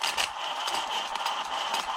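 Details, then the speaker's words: Hosim X07 RC truck run on a 3S pack: sharp, uneven clicks and rattles when the drive is engaged under load. Owner suspects the rear differential; not confirmed. "that potentially says rear drive yeah so i do think it's rear differential um i do think it's the rear diff"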